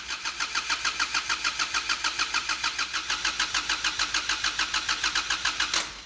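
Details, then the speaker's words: Kubota D722 diesel swapped into Saturn SC1, first start after 10-second glow plug preheat, cold engine: even starter cranking with no firing; injection pump lost its prime, takes minutes for fuel to reach injectors. "I was afraid this would happen. It seems the injector pump lost its prime, and it's going to take a moment or two to pressurize the system."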